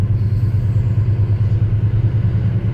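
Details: NZ-new 1985 Chevrolet Squarebody Custom Deluxe V8, formerly run on LPG, started after sitting a while with jumper leads on a small battery: deep, even burble at a steady warm-up idle, no knocks or misses; normal healthy idle.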